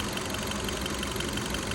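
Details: 2015 Kia Cerato after replacing the faulty injector: steady, even idle with a faint regular injector tick, no stumble or shake; scan tool shows no more misfires.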